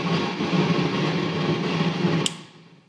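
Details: Modded Marshall JVM tube amps, both affected: after warm-up and switching off standby, a hiss and hum with crackles and pops that grow louder until switched off; clean through headphones, stops when the V5 preamp tube is pulled; cause unknown.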